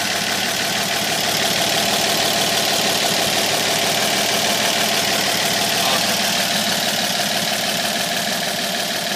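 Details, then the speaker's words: 1950 228 engine after new water pump, fuel pump, fan belt, rebuilt generator and fresh fluids, not yet timed: even, steady idle with regular beat and bright hiss, no knocks or misses, purring; normal idle. "okay new water pump is in it's a good one it's it's bur like the kitten now this sounds great so happy no water"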